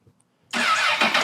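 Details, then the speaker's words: Crashed 2006 CBR1000RR: no crank in gear or with the clutch pulled, but in neutral the starter spins the engine in a steady, even whir and cranks fine. Owner says something is a little off with the controls. "cranks just fine."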